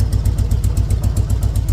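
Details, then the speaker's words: 2003 Harley-Davidson Road King, after a leaking petcock was replaced: deep, steady V-twin idle, about eight pulses a second, settling low; much better. "pretty good so it's haing pretty good right now a lot better than it was"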